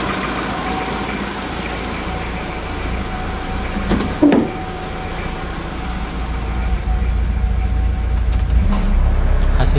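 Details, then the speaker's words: 2002 Kia Visto, after cleaning and resealing the idle speed control (ISC) valve that caused unstable, climbing idle rpm; the low, even idle hum holds steady with the AC switched on, with no hunting or vibration. Normal idle with AC on. "nyala Agas masih stabil tidak ada getaran"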